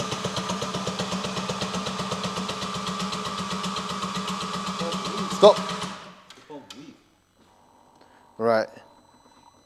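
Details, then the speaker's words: Audi RS3 8V, 2.5L five-cylinder, turbo missing, oil coming out where the turbo should be: starter spins fast and very evenly with no firing, then quiet; no start, owners suspect valves or low compression, not confirmed. "looks like we got no start and oil is surely coming out from the back where the turbo is supposed to be"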